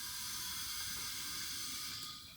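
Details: Volvo 240 wagon with turbo LFX V6 swap, engine off; steady sharp hiss of escaping air fading at end, crankcase venting pressure; heavy blow-by suspected, not confirmed.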